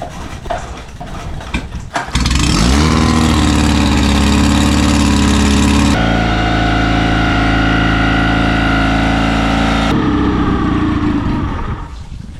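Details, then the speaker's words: Yamabisi 9.8 four-stroke outboard, a Yamaha knockoff fully broken in, on the water hose, started after sitting weeks in freezing cold and not run for a couple of months: a couple of seconds of cranking, then it catches and settles into a steady, even idle; a hard start. "Well, she still runs. Took a good bit of effort to get this thing started up again, but like I said, it's been sitting in the freezing cold for a few weeks, hasn't been started in a couple months, so what are you gonna do?"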